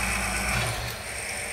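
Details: Corsair VS650 power supply fan removed, bench-powered at low voltage: low whir with rough buzzing rattle at slow speed; strange vibration from the axle.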